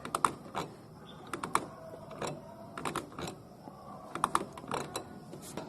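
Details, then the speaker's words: Honda Accord automatic belt tensioner levered by hand with the engine off: scattered dry clicks and clunks as it binds, weak internal spring or rust; belt squealed from slipping, and spraying lubricant freed it and cured the noise. "我搬这个粘紧轮就会有听到发卡的声音，说明这个里面的弹簧不行了。"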